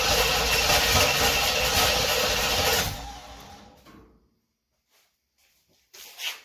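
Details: 1976 Corvette Stingray that sat 8–10 years after its steering column broke, on first start attempt with new fuel lines, new fuel filter, 20 liters of fresh fuel, fresh oil and filter: starter turns the engine about three seconds without a single firing, then quits. Cranks, no start.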